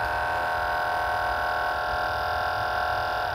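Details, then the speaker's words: Tandy Portable Disk Drive 2 (TPDD2) on disk access: steady smooth motor hum with no seek clicks or disk loading; motor spinning uncoupled from the disc mechanism because the old drive belt has rotted and broken. "that telltale sound right there is the sound of a drive motor spinning but completely uncoupled to the disc mechanism and you can hear it again so definitely we need to get in there and get this belt replaced"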